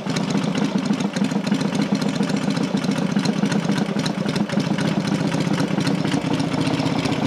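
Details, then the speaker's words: Rebuilt Matchless G12 twin (new crankshaft, conrod, main bearing), warmed up, lever adjusting idle speed; steady, even beat, no knocks or misses, bottom end sounds healthy. Normal idle. "if we the lever slows it down it will run a bit faster it's warmed up"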